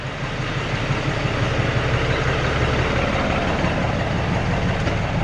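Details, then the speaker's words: Peterbilt 379 with ISX Cummins after retiming cam gears to 6 and 6 and resetting idler backlash: steady, even low diesel rumble at idle, no knocks, misses or hunting; runs smoother, burning clean, no longer stumbling as before. "I think we've gained a lot. It sounds smoother too. Just let it idle."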